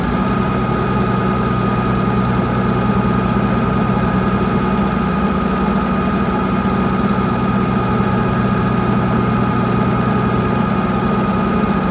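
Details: Mitsubishi 6M60 crane diesel that is shaking: loud idle with a steady low drone and a slightly uneven, stumbling beat underneath; misfire, cause not identified.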